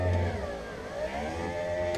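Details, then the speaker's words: Power window motor whir drops in pitch and slows partway up as it strains: the glass, still stuck to its mechanism, is pushed sideways into the rail and binds, then jams; on the way down it pops out of the track. "pushing the glass into that rail binding it so on the way up you can hear it slow down cuz it's"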